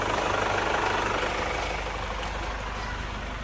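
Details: Chevrolet Captiva diesel turbo after turbo and fuel line cleaning, turbo hose replacement, original cartridge refitted, actuator reset and injector service: smooth regular idle, no knock or misfire; earlier idle smoke now gone.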